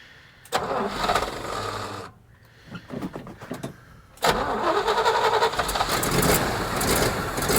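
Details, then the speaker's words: 1986 Chevrolet K30 dually on a makeshift fuel tank after fixing a fuel hose leak; cranks and stumbles, catches on second try and settles to a fairly steady, even idle with no obvious misfire. "Sounds like it's idling up. Not as high as it was, but I don't know."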